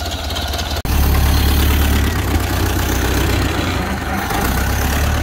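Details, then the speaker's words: Ford Model A off the road 65 years, now running after ignition fixes: brief dropout then slow, deep, even four-cylinder putter, no knocking; healthy low idle. "I don't know, it's idling really nice. I don't know, these things idle pretty low like that. Yeah, it sounds good."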